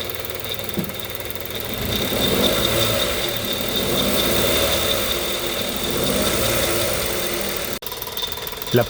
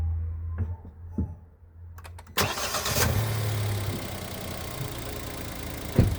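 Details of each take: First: 1.0 G3LA petrol engine in a Kia Picanto/Hyundai i10 with only 70,000 km, idling with an irregular metallic ticking rattle from a worn timing chain; the noise persists with the accessory belt removed. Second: Kia Picanto/Hyundai i10 G3LA 1.0 engine with about 70,000 km, after timing chain replacement. It cranks, catches quickly and settles into an even, quiet idle; the earlier chain rattle is completely gone: normal start and idle.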